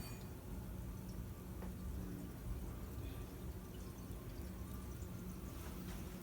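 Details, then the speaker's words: Dr. Z EZG50 tube amp off standby at full volume after repair of a high-pitched squeal caused by lead dress: only a low steady mains hum and faint hiss, squeal gone; amp quiet and healthy. "The squeal is gone. So it turned out to be lead dress."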